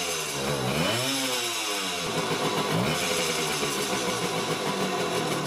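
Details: Vintage Honda MR50 Elsinore two-stroke, first start after new rings and crankshaft seals, being run in gently: buzzy rasp climbing with short throttle blips, then dropping back to a rattly idle; the engine runs.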